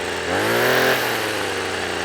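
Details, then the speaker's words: Two-stroke strimmer that wouldn't start on suspect contaminated fuel; now on fresh fuel after choke and primer, its buzz climbs and settles into a steady, clean fast idle, run fast to burn off smoke, running properly. "So I've got it running quite fast at the moment, burn some of that off. And it runs really well."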